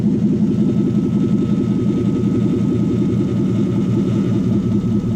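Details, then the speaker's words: Toyota Hilux with Lexus V8 swap idling after cooling system bleed; thermostat now open, 64 degrees on bottom hose; steady even V8 burble with faint whir, earlier air noise gone, healthy idle. "Noise is gone. Past air noise is gone. Just gives it a moment just to catch up."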